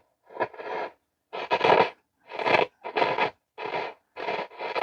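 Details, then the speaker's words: Vintage Philips valve radio: bursts of harsh crackling static come and go as the knob turns; very noisy, dirty volume control. "so it sounds like it's going to work very very noisy volume control as you'd"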